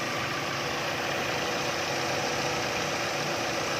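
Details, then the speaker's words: 2010 Chevrolet Captiva petrol engine at 310,249 km, after its belt tensioner pulley was replaced (a fatigued spring had let the belt slacken and make noise). It now idles quiet, steady and even with no belt squeal: a normal idle. "เงียบนะเงียบนะครับตัวนี้เป็นเชฟโรเลตแคปติวานะครับเครื่องเบนซินนะครับปี2010นะครับรุ่นแรกๆเลยนะครับนิ่งทำงานได้ปกตินะครับ"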